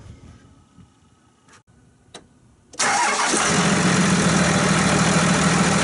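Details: Dodge Ram 2500 diesel with both batteries installed, after a weak battery failed in bitter cold: starter turns briefly, engine fires right up and holds a steady, even idle clatter; normal start and idle.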